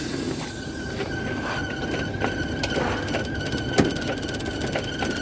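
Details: LG condensation dryer, abnormal noise during running: steady high squeal with scraping ticks repeating as the drum turns; belt and pulley fine, loose drain hose rubbing on the drum.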